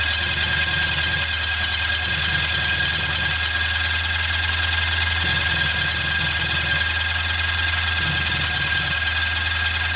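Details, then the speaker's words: 1997 Polaris Indy Classic snowmobile, barn find with new hoses and new gas: steady electric cranking drone with loose uneven pulse, no catch; fuel starvation as tank pickup hose got stuck around fuel level rod. "hmm I know it shouldn't be firing yet but make sure that that hose I put in there isn't sticking straight up"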